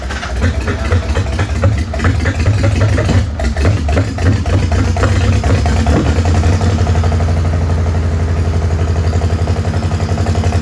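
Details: Farmall H tractor idling with an uneven, loping idle and irregular low thumps, a lumpy beat that never settles, missing on some cylinders. Carb not flooded and timing found not out; owner suspects the distributor, cause not confirmed.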